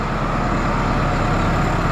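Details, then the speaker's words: New Holland 6610S tractor, 5.0L Genesis 4-cylinder diesel, first start after head gasket replacement and valve job; fuel system pre-primed and injector lines bled. Fired right up, smooth steady even idle clatter, no radiator bubbles seen: normal idle. "Fired right up. I did pre-prime the fuel system and bled the injector lines out."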